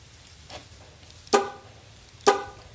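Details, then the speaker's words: 2002 Chevrolet Suburban horn, dead from the steering wheel but sounds from the key fob, with the horn relay swapped for the known-good AC relay: two short, clear, full blasts; horns and relay good, airbag/steering-wheel side to check next. "the horns are good because they're beeping so we have to go to the pull the airbag and look"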